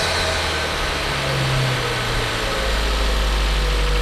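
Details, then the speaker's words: Ford Focus III ST 2.0 EcoBoost 250 hp after repairing a low-compression cylinder with a damaged piston; road test idle even and smooth with no misses or knocks, water temperature and oil pressure normal; normal idle. "oh et ah le bruit il est sympa quand même donc l'essai routier est très concluante"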